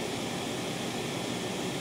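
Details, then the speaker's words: TLP Audio phono stage with one SP capacitor pack in the power supply chain, residual noise down from 1.6 to about 0.6 mV: steady hiss with only a faint low hum; most of the ripple hum is gone but some remains. "most of the harms are gone let's do a lot of still a lot of rush which is expectable expected the uh the humps are still a little there but most of them are gone now"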